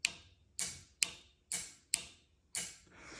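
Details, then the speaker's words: OBS truck with stock 4.3 during a nitrous install; the solenoids are powered from the alternator and grounded through a dash switch. Six sharp, crisp clicks about half a second apart, one per switch press, over near silence. Solenoids are actuating normally. "now I didn't have a momentary switch laying around so this one will work just fine but as you can see if we click it you can hear the solenoids click"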